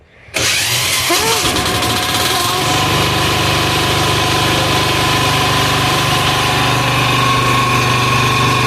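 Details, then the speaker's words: Amazon 186FA single-cylinder diesel with a newly fitted electric start kit, started at half throttle using the decompression lever: a brief crank, then a steady, loud diesel clatter at fast idle. It runs normally and rolls coal. "So it runs, it works, rolls coal, and stay tuned for the next video series."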